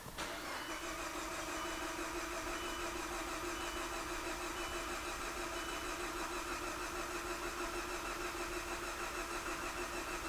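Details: Viewer's car with coolant in the oil, quoted as a blown head gasket: even, steady cranking with equal compression pulses while the cooling system is pressure-tested. No compression enters the coolant; cranking is normal.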